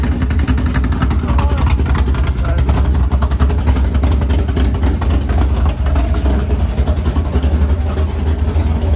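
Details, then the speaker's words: Freshly built 500ci big-block Mopar in a 1969 Barracuda, first start: idle lowered to near 1000 rpm, deep even lumpy cam lope, no ticks, misses or exhaust leaks; normal healthy idle. "Sounds good. So they said 1100, huh? 1100. You can hear the cam a lot better, even a little bit lower, like right at 1,000."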